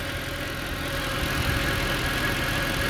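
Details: 2010 Mercedes E63 with 173k km, cold start: smooth, even idle rumble with a light whir on top, the secondary air injection pump heard working, no knocks or ticks; a healthy normal cold idle.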